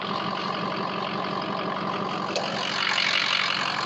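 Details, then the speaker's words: Ford 6.0 diesel truck with a hot no-start (standpipe/dummy plug suspected), heard from under the truck: smooth, steady idle with even clatter and no misses or knocks. Normal idle. "Listen how smooth that sounds. You got to love the sound of a 6o."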